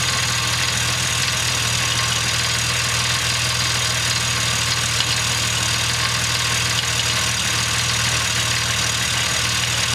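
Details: 2005 Jeep Wrangler Rubicon, cold start, accessory belt removed; steady idle with light quick ticking that goes away once warm, source not yet found.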